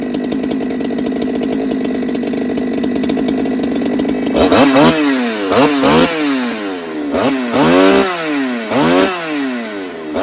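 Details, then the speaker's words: Ported Holtzfforma 395 chainsaw, second test, run lean, with oil pump problems: wide-open two-stroke scream holding one flat pitch and refusing to climb, then revving bursts; RPM hits a ceiling that tuning does not change. "This one's like hitting this this ceiling and just it's not going any further. You know what I mean? Like my tune isn't affecting it."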